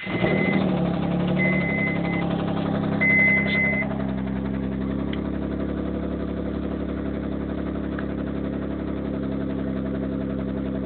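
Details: 1991 3000GT VR4 settling from start-up into idle with a fairly regular knock near four a second. It started suddenly, with no metal flakes in the oil and no oil pressure problems. Owner suspects a spun rod bearing or damaged rod journal.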